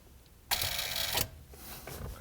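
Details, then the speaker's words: 1976 Cadillac Fleetwood EFI with low fuel pressure on the key-on prime pulse, fuel pump relay just relocated: sharp single click at key-on, then faint whir of the pump priming; relay pulling in normally. "All right, now I didn't like the way that relay was sitting, so I relocated it. I like it better over here. Let's see what we get here. hear the relay click."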